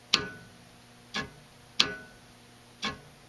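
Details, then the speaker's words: Honeywell VR9205Q two-stage gas valve with only the low-stage solenoid energized: four crisp, substantial clunks about a second apart as it is switched; normal solenoid action. "okay I'm reconnected on to the low solenoid and let's take a listen to that one right that's a much more substantial clunk as you can hear"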